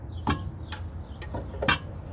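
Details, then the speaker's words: Chevy 454 big block with the oil pan off, after a tune-up; it made a weird noise on startup. Crank levered back and forth with a pry bar gives sharp metallic clunks: torque converter loose on the flexplate. "Look at this noise it's making for moving the crank back and forth. It's ridiculous, right? That's gotta be the sound I'm hearing."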